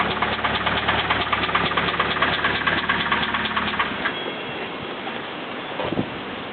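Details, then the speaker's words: Nissan KA24DE engine: heavy, regular knock about two per second pounding through the idle until shutdown, rod knock; it had earlier grown louder and faster, and a replacement motor is on hand. "it was crazy before when it got like louder and started knocking even faster wow it's all right though you know you have the other motor in"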